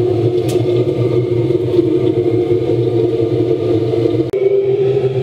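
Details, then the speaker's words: Gravity-fed waste-oil vaporising burner in a metal drum shed heater, just lit, oil kicked in; steady even roar with low drone and light pump clatter: normal burner operation. "looks like it's going all right so far I can see and smell the oils already kicked in so uh it looks like we're all good"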